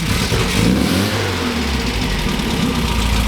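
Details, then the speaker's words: 1967 MGB GT four-cylinder, first start after sitting: catches and settles into steady, slightly uneven idle with a throttle blip; oil pressure low at first, rising to 50 psi; running healthy. "Okay, so we've got not a lot of oil pressure at idle, but it is, okay, there we go. All right, so we've got 50 PSI of oil pressure at idle now. It came up."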